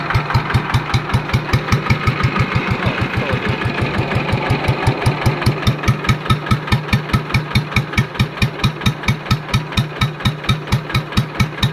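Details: Yanmar TF115 LM single-cylinder diesel after repair for hard starting (pump plunger and other parts replaced; inner bearings not done): even solid thumping about 143 beats a minute, no knocks or misses; idles normally with good pressure.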